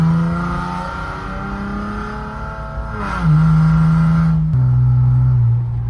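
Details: 2013 Camaro RS with a freshly replaced fuel pump, accessed without dropping the tank: the starter whirs and the engine catches cleanly. It settles into a steady, even idle with a brief blip, a normal start and run.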